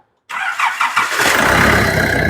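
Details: Nissan Navara D40 YD25 diesel after turbo replacement: a few quick cranks, catches at once and settles into a steady run with no metallic zing; some residual white smoke from the old turbo expected.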